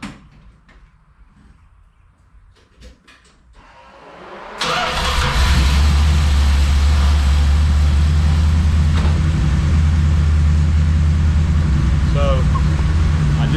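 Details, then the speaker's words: Mopar 318 Magnum truck with stock 1986 distributor, MSD6AL, Hughes cam and Edelbrock AirGap intake; it catches after a few seconds, then holds a fast, even idle with a steady low rumble. Idle is high because the base timing is set advanced. "the base timing set a little high right now but um sounds good it's island high because the base timing's high"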